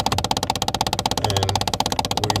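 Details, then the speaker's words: 2011 Kia Optima 2.0 Turbo, recirculation door actuator behind the glovebox, knocking when recirculation is turned on with AC running: rapid even clicking about eleven times a second over the fan, actuator skipping gears, replaced. "the little actuator that one is the one is making the noise"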